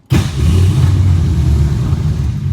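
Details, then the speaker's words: 1962 Ford Falcon, carburetor with manual choke, electric fuel pump, tank low: catches on fuel poured into the bowl, rumbles briefly, won't hold a steady run; can't get fuel from the pump, fuel starvation hard start. "Old grumpy bitch today. Can't get fuel."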